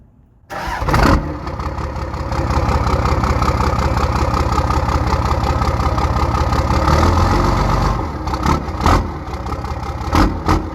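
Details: Cummins diesel truck just fitted with a new turbo after a VGT delete, wastegate to go mechanical: first cold start cranks briefly, catches quickly and settles into an even idle clatter with no misses or hunting, a normal cold start.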